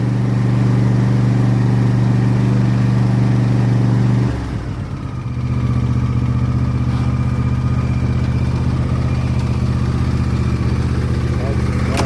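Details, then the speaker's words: John Deere S130 riding lawn tractor running after an oil change conversion kit install, started on full choke; even drone dips briefly when setting changes then recovers to steady smooth run without misses: normal running. "Okay guys, we're gonna start it up and see how everything runs."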